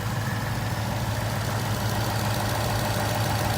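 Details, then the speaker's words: 2018 Ford Mustang GT V8, used with about 12,000 miles, idling at dealership: steady, even low rumble, no ticking or tapping, smoother than new ones heard; checked for typewriter tick; normal idle. "Bell with 12,000 miles on I think this sounds better than the brand new one all the new ones that I've been looking at firing those up this one seems like"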